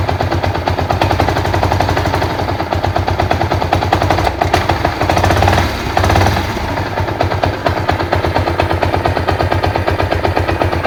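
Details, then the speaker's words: Yamaha SZ-R motorcycle with engine and clutch previously rebuilt elsewhere, idling after starter start: loud, continuous harsh rattle like rapid hammering, from the clutch housing on the right side. "इसका sound जो है इधर कलज side से है कलज का housing side में है दोस्तों"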